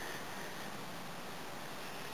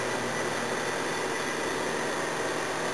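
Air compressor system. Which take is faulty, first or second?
first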